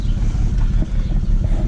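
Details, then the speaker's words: 2008 BMW 335xi, morning idle: deep lumpy uneven beat with irregular dips, a cylinder dropping out; misfire at idle, scanner flagged cylinders 4 and 6 despite replaced coils 4 and 6; smooths out when warm. "I've never gotten this before it's a true misfire today let me know what it is I changed clothes 4 & 6 you know I ran the computer on it that said coils 4 & 6 had a misfire well clearly you know it's doing it right now"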